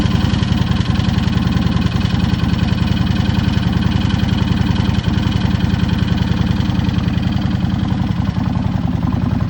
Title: Rattling sound on cold engine - Dyna Low Rider 103HO 2017 #dyna